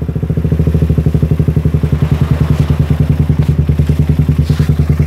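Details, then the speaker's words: Suzuki Satria FU after removing the exhaust camshaft decompressor, with long exhaust giving a bassy note: deep, even, muffled exhaust thumps about three a second while revved; earlier tek-tek top-end ticking is gone, running normally. "Tadinya ini ada suara tek tek tek tek tek gitu ya di sini ini disini tadinya ada suara teketek Karena dekompresi sekarang nggak ada suara tek tek tek"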